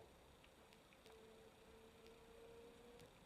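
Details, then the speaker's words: Canon EF-S 24mm f/2.8 STM pancake lens, external-type STM with extending front element, in video mode: faint steady whirr near 500 Hz for about two seconds, very quiet but not silent, slower drive; normal autofocus motor noise. "so it is very quiet but it's not absolutely silent at the same time when you turn to the video mode you see the lens is significantly slowed down"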